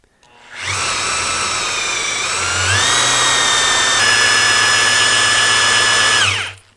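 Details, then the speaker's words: Oldsmobile 455 oil pump primed by drill, counterclockwise, with 7 quarts Driven BR30 5W-30 break-in oil and a manual gauge: drill whine steps down in pitch as it loads, then holds even as the filter fills and back pressure builds; normal priming. "Yeah, I'm hearing the oil filter cycle with oil. There we go. I'm starting to get a little bit of back pressure here. Yeah, I can hear it."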